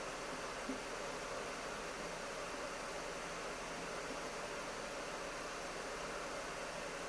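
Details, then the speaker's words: 2025 HP Omen Max 16 with RTX 5080 in max fans mode at 6000 RPM, about 56–57 dB with the GPU near 160 W: a steady, even rush of air with no ticking, rattle or pulsing. Laptop fans at full speed, normal. "Okay, so again, pretty typical, still about 56 to 57 decibels of fan noise here in the max fans mode."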